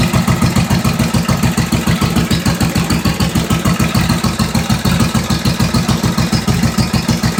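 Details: 1945 Indian Chief V-twin fired up after second rebuild (first failed from brittle cracked head-bolt washers and missing oil ring expanders): new rings, honed cylinders, lapped valves, new head bolt washers, intake manifold and seals; even loping idle, no ticks or clatter, normal.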